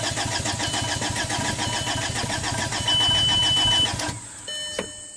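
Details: 2005 VW Passat TDI diesel, 231,000 miles, after owner's engine and transmission rebuild: starter cranks steadily about three and a half turns a second, never catches; crank no-start, lift pump found not working, low-side fuel pressure about 5–9 psi.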